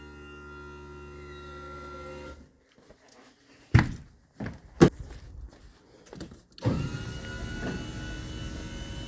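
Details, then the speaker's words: 2009 Monaco Dynasty RV, HWH hydraulic slide pump under the front step, after bleeding air: pump hum, clunks, then a thin rising whistle as the relief valve opens at maximum pressure, normal. "so you hear that little whistle at the end or that screaming that squelching that should be the relief valve and the pump opening up that means we've reached maximum pressure"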